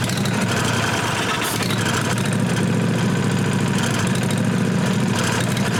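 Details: Briggs & Stratton Vanguard 16HP engine, unstarted for a year or two, after freeing a fuel-solenoid plunger gummed by old gas and wiring the solenoid: a brief clatter, then it catches and holds a steady mid-pitched hum; running normally.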